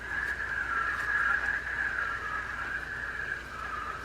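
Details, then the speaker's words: Abu Garcia Trophy Collection Cardinal 4000 spinning reel, flea-market find that sat unused, 5-ball-bearing drive, cranked by hand: a rough, grainy whir that rises and falls with each turn; the owner judges by ear that it has a bad bearing. "this is an abu garcia trophy collection cardinal reel and it has a bad bearing in it at least from my ear it has a bad bearing in it"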